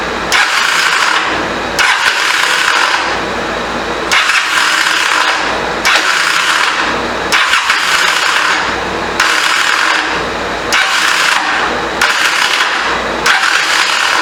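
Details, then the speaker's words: 1985 Honda CMX450 Rebel, unused about 15 years: starter whirs in short bursts, catching briefly then spinning free without turning the engine over; starter clutch suspected missing or wrongly installed. "I think what the problem is, if he put a starter clutch in it, he didn't put it in there right. If it even had one put in at all, because it just sounds like starter's not doing anything, like it's catching and then kicking it back out."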